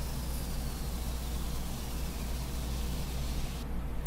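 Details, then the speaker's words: Rehabbed 1975 Powermatic 30A belt and disc sander after final test with guard on: steady low hum with even rushing whir, no bogging or knocking until switch-off; fully functional and running smoothly. "and there she is all functional and running"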